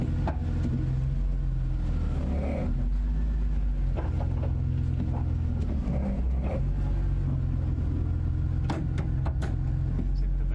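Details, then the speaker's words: BMW E46 drift car, first gear and reverse, short pull then clutch pressed: engine rumble with sharp, irregular clunks from the middle of the tunnel; worn centre support bearing suspected, possibly transmission bearings, not confirmed. "That weird clunking noise is coming somewhere here in the middle of the tunnel The noise comes always when you press the clutch pedal after a short pull and backwards a bit.."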